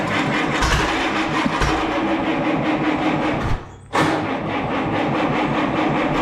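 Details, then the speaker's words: Allis Chalmers B tractor, radiator off, running only on a steady stream of ether: uneven chugging that cuts out completely then fires again; runs only on ether, fuel starvation from a sticking carburetor float needle. "well we got it running on ether but as soon as i let off on the ether it completely dies right out so it'll run on a steady stream of ether no problem"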